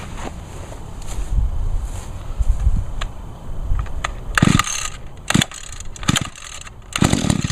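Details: Echo two-stroke on 50:1 mix, choked and primed. Fast idle buzz with a few throttle bursts over handling clatter, keeps running: normal two-stroke running, runs real good.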